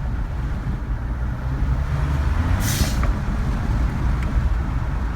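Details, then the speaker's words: 2012 Ford F150 EcoBoost at 64,000 miles idling after exhaust manifold gasket leak repair and new drive and accessory belts: low steady rumble, no squeak or ticking, one brief hiss; sealed, healthy idle. "just sounds really good it's working really good thanks guys"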